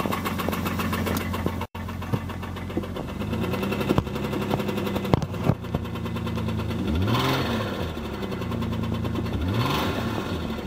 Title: 2001 Chrysler Sebring DOHC V6 with Bad Rod Bearing